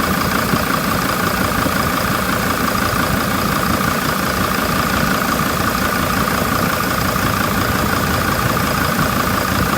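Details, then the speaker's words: Mercedes Sprinter diesel idling at night after a new turbo actuator, with turbo underboost: steady airy hiss over idle as boost air leaks from the split seams of the plastic turbo resonator. "but we are heavily losing air and that air is being lost to at or above resonator"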